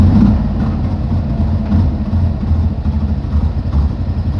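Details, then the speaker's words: 1960 Grumman Olson, with the tank still to be cleaned, restarts straight away and settles into a low, steady idle with no misses or knocks; running fine, generator still needs replacing. "she's running all right see what it's see if it cranked right back up straight right back up huh nice"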